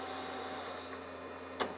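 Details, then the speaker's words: Mystery data recorder tape transport on fast forward: steady even whirring hum at constant pitch with no scraping or slipping, spooling quickly; normal fast forward, though stop/rewind binds and playback sounds like chewing tape. "fast forward's going pretty quick and that seems to be working okay"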